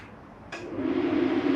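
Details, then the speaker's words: Normal furnace ignition and blower start-up in an Open Range 2710RL RV, switched on at the hallway thermostat: a soft whoosh as it lights, then a steady fan hum building smoothly. "now i'm gonna turn your furnace on"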